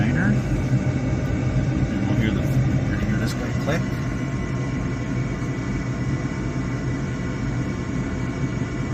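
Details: Gas furnace on a service call, running its sequence of inducer, pressure switch, igniter and gas valve; the fault ended up being the flame sensor. Steady, even low roar with a faint hum and no pops or flutter; normal burner operation.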